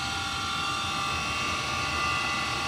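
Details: Gas furnace, first run after house purchase, 90-plus percent efficiency multi-position unit installed upside down in downflow: loud singing whine over rushing hiss from draft inducer motor with bad bearings; also short cycles on suspected heat exchanger high limit; inducer to be replaced.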